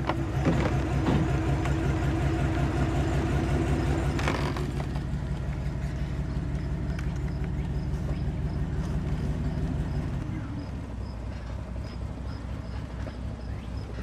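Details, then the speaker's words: Silverado 2500 8.1L Vortec V8 with Allison transmission, in gear (drive/reverse) at low rpm under load: uneven stumbling beat that drops out irregularly, a misfire; repaired by replacing coils, spark plugs and wires. "i don't know if you can hear that or not the engine is definitely misfiring and in reverse it's very"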